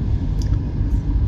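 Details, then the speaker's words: Car whose rear had an abnormal noise, after rear hub service and tightening, with about a quarter litre of grease packed into each side's bearings. Driving gives a low, steady rumble with no growl or whir. Quiet rear wheel bearings. "زين، هسه ما شاء الله السيارة كلش ناعمة، هدوء مو طبيعي بالخانة الخلفية، الطسة جدا حلوة."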